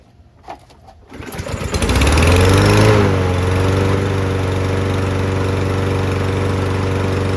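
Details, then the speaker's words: Newer Toro mower after draining water from the fuel, cleaning the carb and fitting the proper new spark plug: a pull, it catches, revs up and settles into a steady, even run with no misses. "Yeah, she sounds spectacular. Absolutely spectacular."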